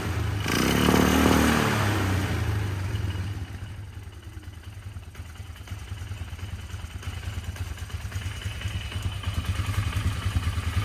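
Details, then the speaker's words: 1999 Polaris Sportsman 500 ATV, first start after fuel pump replacement, airbox off: after a revving burst it stumbles, surging and sagging, not idling cleanly; carburetor adjustment planned, ran better with airbox fitted. "running not running smooth as I like to see it let me tweak on the carburetor a little bit and get back and see if I can figure this out"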